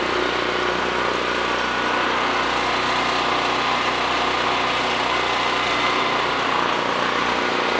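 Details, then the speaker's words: Generac 5500 watt generator not run for a couple of years, cylinder sprayed before first start and smoking at first; after that it runs with a steady, even drone, no misses or surging. Outlets read 125 volts. Normal running. "once it looks like it burned off all that she runs good runs real good"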